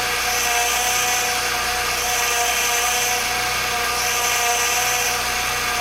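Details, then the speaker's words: 2007 Acura TL Type S running cold: steady high constant-pitch whine from the power steering pump drawing air past a hardened inlet pipe O-ring that also leaks fluid; fix is replacing the O-ring. "over time it gets old and it's supposed to be Rubber and eventually almost gets like plastic and the seal breaks and air gets in the system and it causes that loud whining noise"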